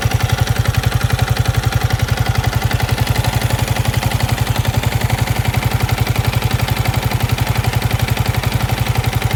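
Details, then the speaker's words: Yamaha MT15 idling with a steady light knock over the exhaust beat, heard mid-engine, not tappet or connecting rod; piston slap from a seize after running overheated without coolant. "হঠাৎ করে বন্ধ হয়ে যাওয়ার সময় যে একটা ঘর্ষণটা হয় ওই ঘর্ষণের কারণে এই বাইকের একটা এক্সট্রা নয়েজ তৈরি হয়।"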